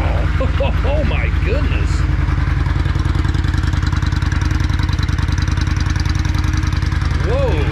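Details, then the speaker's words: 1994 Yamaha Virago XV535 V-twin just after carburetor vacuum diaphragms were replaced; steady, even low thump at idle, no stumbles or popping, crisp throttle response: normal running. "first of all this bike sounds like it's running way better throttle response is crisp"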